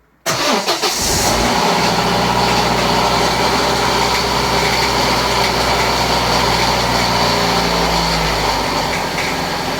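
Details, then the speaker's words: 1997 Vauxhall Astra F Mk3 petrol, first cold start after a timing belt change: cranks, catches, fast cold idle with a light rattly knock. It is not valves hitting pistons, and the engine runs fine; steam comes from a coolant spill on the manifold. "it's running it's definitely worth mentioning that knocking sound you can hear it's not valve's hitting pistons"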